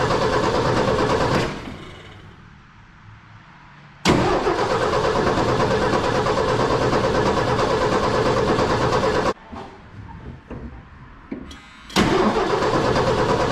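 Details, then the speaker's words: 1979 Ford F100, 300 straight six, parked since 1992, first start: Holley 390 four-barrel carb, Offenhauser dual-port intake, new Hedman headers smoking heavily, cooling system on plain water. Cranks, catches and settles into an even idle, stopping and restarting twice; no knocks or misses, idling pretty good. "I think it's going to be good. It's idling pretty good. It's hard to tell because there's just so much smoke."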